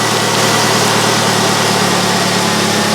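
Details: 1999 Pontiac Grand Am 2.4L LD9 Quad 4 after replacing a leaking fuel pressure regulator with a ruptured diaphragm, cold day: steady, even idle, smooth unbroken hum with no misses, ticks or knocks; running normally, no leaks seen.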